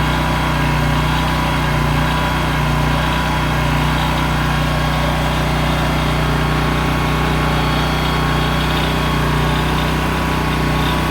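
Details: Honda EM6500SX electric-start generator after carburetor cleaning and oil change, loaded with a heat gun through an amp/watt meter. A loud, steady, even drone with a constant low hum and no misfires or hunting. It runs normally under load.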